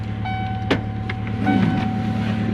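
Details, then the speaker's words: 1993 Ford Ranger after fixing a power wire to the main harness: steady, smooth idle hum with a faint constant accessory whine, no knocks, ticks or stumbles; running smooth with good power. "running really good super smooth got good power"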